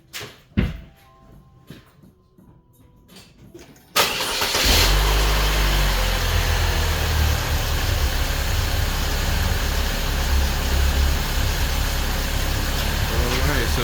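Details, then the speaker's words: 2003-2012 Saab 9-3 2.0L started after spark plug replacement; catches and settles into steady, even idle, no misfire or stumble; runs good, normal idle. "the engine is running good, and we're gonna leave it at that, guys."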